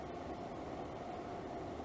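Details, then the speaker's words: Levoit LV-H133 air purifier on medium speed during repair of a rattle: steady, even whoosh with a faint hum and slight vibration; still out of balance. "that's on medium now and it is running pretty quietly I can feel a little bit of vibration but it's not an excessive amount of vibration"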